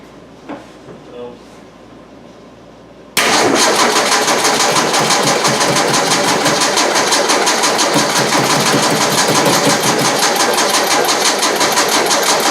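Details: Carbureted engine cranked right after a fuel pump change; after a quiet pause the starter churns about three beats a second for nine seconds without firing; fuel confirmed reaching the carb, owner suspects plugged filter or carburetor.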